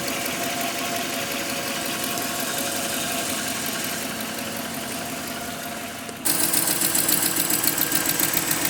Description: Grand Cherokee 5.7 engine ticking noise at idle